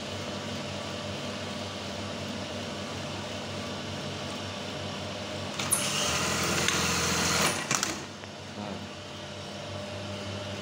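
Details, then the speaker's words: Brother 814 (made in Japan) buttonhole machine after the stop timing was readjusted: a quick, even stitching rhythm of about three to four strokes a second with a brief louder cutting burst midway; the stop is no longer loud, running normally. "kalian bisa lihat biar enggak bunyinya pas ketika stop to nggak begitu kenceng [Musik] Ya udah normal ya"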